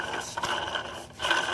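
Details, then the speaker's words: 2008 Dodge Charger with crank-no-start, leaking water pump: gritty, sandy scraping with rough ratcheting feel as the pump shaft is worked by hand; water pump bearings worn out. "those bearings about shot sound like sand is in here that water pump is on its way out"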